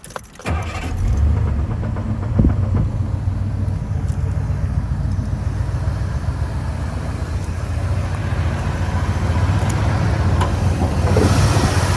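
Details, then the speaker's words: 1986 Ford F150 XLT Lariat, 5.8 351W HO V8, C6 automatic, exhaust possibly glass packs, fired up under the hood: catches and settles into a steady deep burbling idle with even low exhaust pulse; healthy. "Um exhaust, as far as I know, is just a couple of uh they might be glass packs or something. It sounds pretty good."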